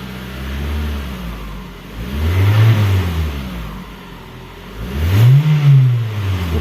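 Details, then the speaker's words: Toyota Camry VVTi engine, earlier noisy and rough from oil starvation, after an oil change, during scan-tool VVTi activity test: two clean throttle blips so the ECU learns, rising and falling smoothly with no knock, rattle or hesitation. "Kalau enggak kita sedikit gas dulu supaya si anunya tahu, si ecunya tahu."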